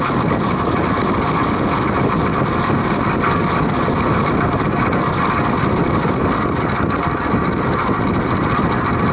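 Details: Vintage Penncrest (rebranded Lakewood) 20-inch 3-speed box fan on high, six years in a shed: constant coarse diesel-like buzzing rattle, steady throughout, remaining after bearings oiled with WD-40; no motor play, blades not loose, cause unknown.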